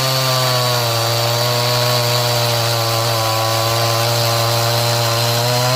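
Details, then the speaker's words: Stihl MS180c 32cc chainsaw cold, bar under light load: steady high buzz that sags a touch in pitch and recovers; bogging when cold from a lean low-speed mixture, fixed by tuning and better once warm. "so as you could uh hear if you put a little bit of pressure on it it it it just starts to want to bog down but once it warmed up it was uh working much better"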